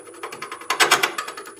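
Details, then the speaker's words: Wood lathe turning a wood and resin bottle stopper with embedded fishing fly, square carbide tool: rapid bright uneven rattling taps about eight to ten a second; tool chatter, possibly from pressing too hard; switched to rounded carbide. "gonna hear that chatter and chatter rich lady fella it's one of two things pressing too hard"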